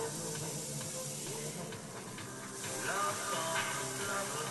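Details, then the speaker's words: Zenith 25MC36 tube TV after substituting a solid-state high-voltage rectifier for the tube; regulator tube replaced, up to 38 kV: steady airy hiss under program sound; corona hiss from excessive high voltage, picture shrunk. "the high voltage is just so damn high, it's driving everything nuts."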